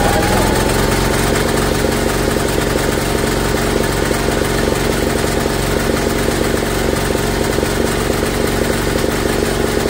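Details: Briggs & Stratton electric-start generator bought at auction, running for the first time in years on gas after purging the regulator: steady, fairly even single-cylinder chug with no misses, but it produces no power output; a bare wire was found.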